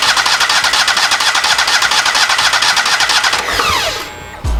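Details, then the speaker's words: Kohler EFI small engine after fitting aftermarket high-pressure fuel pump, canister unprimed: starter spins evenly about two compressions a second, no firing, winds down; crank no start, no fuel reaching injection. "So in order to get gas from here into there, you got to pump fuel into it. So let's just crank it over and see what happens."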